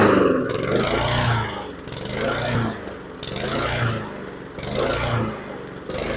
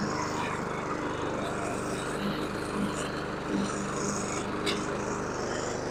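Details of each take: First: Husqvarna HU700F mower with a newly fitted GVC 160 carburetor, first run in 7 years: engine speed rises and falls in a slow cycle about every 1.5 seconds, surging after start. Owner suspects it was lacking fuel; cause unconfirmed. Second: Husqvarna HU700F mower, first run in 7 years after swapping in a new GVC 160 carburetor: steady, even drone under cutting load with no surging or misses; an earlier surge owner suspects was lack of fuel, otherwise runs well.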